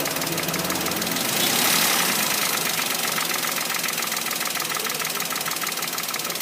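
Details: Toyota Wigo engine at idle: steady, bright sharp metallic tapping about four times a second, engine knock of unknown cause.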